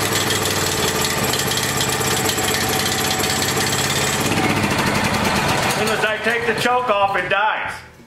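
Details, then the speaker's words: Small Honda generator, low-oil shutdown disconnected: fast uneven chatter, stumbling and surging, then dying within seconds; smoothed with carb spray, suspected intake air leak at the carburetor insulator block. "so did you notice when i was spraying that back here how it smoothed out and ran so i think the problem is [Music] this insulator block"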